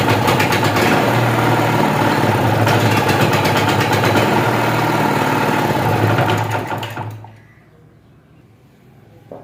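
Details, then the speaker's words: Generator runs only on choke and dies when choke is opened, before carburettor tuning: small engine chugs fast and even, then dies away after about seven seconds; stall off choke, pointing to a lean carburettor setting. "जब चौक पे रहता है तो start रहता है, जब हम चौक reverse करते हैं तो ये जनरेटर बिल्कुल ही बंद हो जाता है।"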